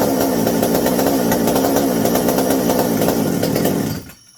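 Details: McCulloch 790 chainsaw on a newly fitted 090 carburetor, idle screws all the way open: rough, burbly, uneven running at three to four beats a second with no clean rise, then cuts off; acts over-fueled, rich running suspected, not confirmed.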